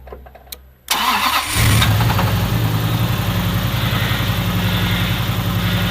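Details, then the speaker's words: Toyota 1UZ turbo V8, in neutral at tick over, oil pressure gauge fitted (90 psi): cranks, catches, lumpy idle with rapid rattly knock over the exhaust beat; suspected big end failure blamed on poor, hot, wrong-grade oil. "so as you know the engine last time started making bound rattly sounds so we pulled off the track we suspect it's big ends"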